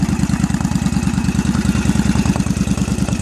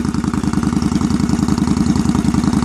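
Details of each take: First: 2001 Yamaha V-Star 1100 Classic with just over 6,000 miles, still cold after shop repairs: an uneven, loping V-twin idle of about three beats a second, popping and stumbling between throttle blips. Owner suspects the choke or a lean mixture. Rough cold idle. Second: 2001 Yamaha V-Star 1100 Classic, after earlier lean popping on cold start: steady, even loping putter from the twin at idle, no popping or misses; idling normally once warm.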